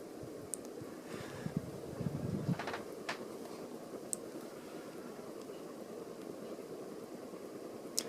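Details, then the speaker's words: Catalina Lighting Square hugger ceiling fan, dated April 1987, switched to medium: soft steady airy hum at even speed with no ticking, rubbing or wobble; works fine; normal running. "third to medium and it works just fine"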